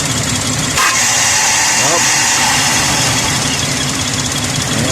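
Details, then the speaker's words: 2001 Ford Explorer 4.0L V6 with left exhaust manifold leak, restarted after reconnecting spark plug leads, a little gas: rough uneven idle, loping stumble three or four times a second and shake; engine misfire, leads suspected not seated. "so I just reconnected the spark plug leads but started again Diego probably not seated directly give it just a little bit of gas"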